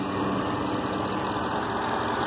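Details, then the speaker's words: 2008 Chevy V8 before a Gunk motor flush: steady idle with a faint, quick light tick riding on top, barely audible; source not pinned down. "There you go. You can hear it ticking."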